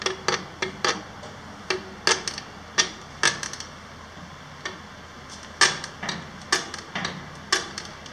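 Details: Bob Ibex bicycle trailer, about 750 km / 7–8 days use: sharp irregular creaks and squeaky clicks as the suspension is pushed down and released; owner unsure if lubrication needed or screws too tight.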